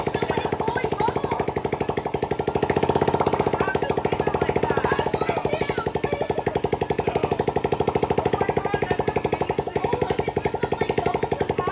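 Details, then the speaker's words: Honda Ruckus scooter, salvage title, being revived with rough carb idle tuning, idling with the exhaust removed (open header): very loud, rapid, sharp popping with a raw bark at a steady idle. "It sounds like It has no header on it. Yeah. That's open head."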